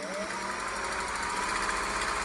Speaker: wow just like the day it came off the assembly line that's why I'm such a fan of these machines whatever's wrong can be fixed and it's going to be minor